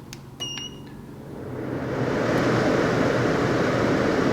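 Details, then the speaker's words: Sherwood CFM1000 workshop room air filter cleaner switched on by remote at speed 1, heard beside the machine: panel beeps then fan spools to steady even whoosh; normal fan running. "right, so running pretty hard. You can still talk over that sitting right next to the machine, which is not too bad,"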